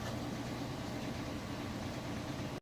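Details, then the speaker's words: Whirlpool Cabrio Platinum top-load washer, final spin at near top speed with jeans and towels, draining the last water: smooth, even rushing whir with a steady low hum and no thumps or scraping; normal high-speed spin. "in here is just about its fastest speed and it'll spin like this for the next 5 minutes flipping the drain on and off getting the rest of the little water out of there"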